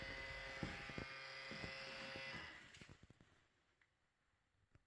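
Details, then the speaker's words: Mazda CX-5/Mazda6 power rear-view mirror: raspy electric buzz with steady whine and irregular clicks from a noisy mirror motor, to be disabled temporarily while awaiting a replacement part. "Another issue is the noisy rear view mirror motor. And while awaiting the new part will disable it to eliminate the noise."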